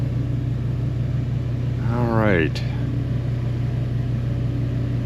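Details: One-year-old Mr Heater Big Maxx heater with replacement motor/fan: steady low blower hum with buzzing shake, excessive vibration; owner suspects bent fan blade.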